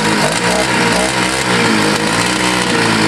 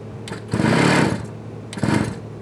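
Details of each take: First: Scooter that sat a year and got wet, restarted after choking: a loud, steady two-stroke buzz at an even pitch with no cutting out or sputter, normal running. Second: Scooter sitting a year and got wet in a leaking shed, fresh fuel added: two short bursts of quick buzzy cranking with choke on that never catch; it won't fire yet.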